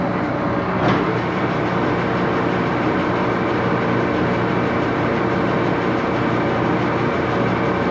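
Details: Axelson 14x30" heavy-duty gear head lathe run through its speeds, headstock filled with AW68 hydraulic oil (about SAE 20); steady fairly loud gear rumble, even whir, no knocks; noisy but normal running.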